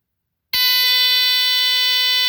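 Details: Rare early Dicon 200 smoke detector (no LED), test button held; after a short delay a loud, steady high-pitched horn sounds continuously, alarm works on test.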